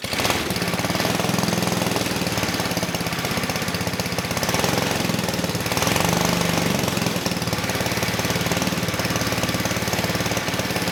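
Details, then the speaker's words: 1959 McDonough T-10 "Tin Lizzie" go-kart engine, revived after 30 years disassembled, runs with choke open after the carb needle was dripping fuel; small single-cylinder with a steady, crisp popping beat while the idle is adjusted down; sounds healthy. "Okay, good. So, the engine sounds good. I was trying to adjust the idle down a little bit."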